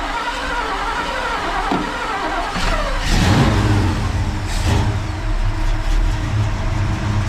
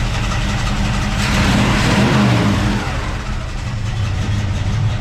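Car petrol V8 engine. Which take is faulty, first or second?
second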